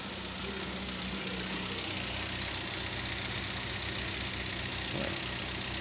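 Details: 2013 Kia Venga idling after timing chain replacement: even idle with a steady low rumble and no knocks or ticks; the engine runs smoothly.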